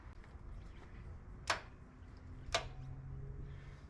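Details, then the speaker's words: Kings 4WD winch, rarely used, isolation switch on: two sharp solenoid clicks about a second apart with no motor whir, so power reaches it but the motor doesn't drive; owner suspects gunked cheap grease in the motor and gearbox. "so you can hear the solenoid clicking in so I've got power there however the motor um is not driving"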